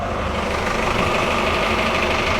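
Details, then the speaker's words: Sealine S28 boat engine at tick-over, engine bay open for comparison after soundproofing: loud steady low drone with constant mechanical clatter, no surging or knocking; normal idle. "yeah, ridiculously loud, I'm afraid, but that is just on tick over like this. That is much better."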